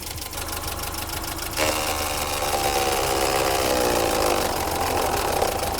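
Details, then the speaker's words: BMW E30 318i automatic idling to temperature after fan clutch work: rushing roar swells over idle as viscous fan clutch locks up, blowing harder than before; temperature now at half, normal engagement. "I can feel that now that is blowing a lot more than before it's definitely hard to stop I can hear it now it's just started kicking"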